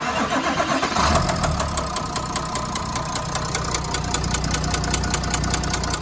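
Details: Renault V9X 3.0 dCi diesel: fires up and settles into a steady knock, two to three per second, over the diesel clatter; connecting rod knock.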